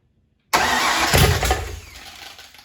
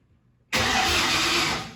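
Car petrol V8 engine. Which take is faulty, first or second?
first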